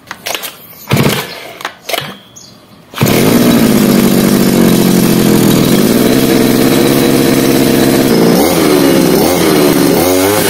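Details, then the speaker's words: 52cc two-stroke straight-shaft brush cutter (25:1 fuel mix), primed and choked, switch on: after a few pulls it catches and settles into a steady high buzz with no misfire or hunting; healthy running. "Sebelum kita start, kita jangan lupa onkan switch dia. On off dia dekat sini ya."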